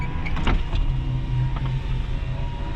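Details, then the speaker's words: 2001 Toyota Tundra, 13,460 miles, engine running, passenger-side power window (no auto function): steady low motor hum and brief whirr as the glass moves smoothly, no binding or grinding; window motor healthy. "Not auto anything on the passenger side, but it goes up and down as the good people at Toyota intended."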